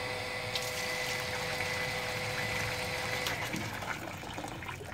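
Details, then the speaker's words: Surface water pump with foot valve fitted, suction pipe already filled with water; pump hum with water delivered immediately, no dry running or gurgle, unlike the 13–14 second first priming. "Jadi apa yang terjadi sekarang pipa di dalam sini kau namanya sudah dipenuhi oleh air ya sudah dipenuhi oleh air sehingga ketika pompa ini berjalan air serta merta langsung pompa serta-merta langsung bisa memompakan ya menghisap dari sini lalu memompa ke sana"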